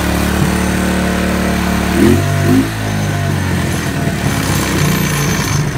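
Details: 1991 Suzuki King Quad, first start after five years under a tarp; previous owner reported no compression until intake valve was loosened: single-cylinder thump settling into a slightly uneven, blipping idle.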